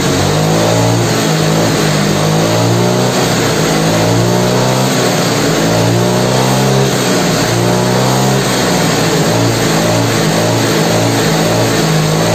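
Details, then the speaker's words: Yamaha Mio scooter after refitting the air filter: revs rise and fall evenly through low, mid and high with no hunting; timing component still worn, compression weak and white exhaust smoke noted. "Hai Oke kalau untuk abang untuk kenaikan RPM dari rendah Tengah atas ini sudah mulai normal Ya udah seirama"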